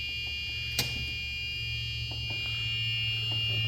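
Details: Club Car golf cart on first shop test after a battery system conversion, in reverse: a steady high-pitched buzzer sounds continuously over a faint motor hum while backing up. The reverse warning is working normally, with strong torque.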